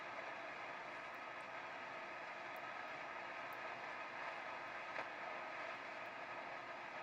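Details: AWA transistor radio after refitting the speaker during restoration: constant loud hiss with faint steady whine, no station received; still very noisy, cause unknown.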